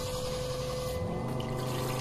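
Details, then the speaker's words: SEAFLO 56A diaphragm water pressure pump running with the faucet closed because the bypass valve is open too far: steady low drone, constant hum and water rush, never shutting off. Fixed by closing the bypass valve about one turn. "here's the pump running with the faucet closed because the bypass valve is too far open"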